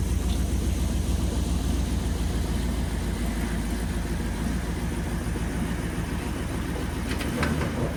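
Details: Restored 9C1 car after brand-new exhaust install: deep, even idle burble, no rasp, rattle or leak ticking; exhaust sounds healthy and settled.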